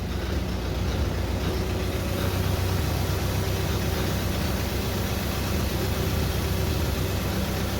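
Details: International 93 combine engine, unused 15-16 years, old gasoline drained, good oil pressure: steady even low rumble at idle with no knocks, misses or surges. Normal idle.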